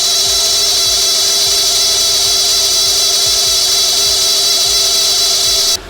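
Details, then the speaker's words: Mercedes S55 AMG supercharged M113K engine running: constant high-pitched squeal and rough whirr from worn water pump bearing after many miles; water pump being replaced. "Over a lot of miles and heavy use of the vehicle, the bearing start to wear and they can start to squeak and make some pretty rough noises. Let's have a listen to what the S54's water pump sounds like and that'll explain why we're changing it."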